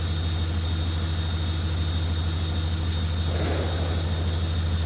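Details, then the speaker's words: Ford F-150 at steady idle with heated seats, blower and high-beam headlights on after field and communication wires were replaced: faint constant high whistle from the alternator, which is working and holding; normal whine under load. "hear the little bit of whistle in that alternator it's working but it's holding"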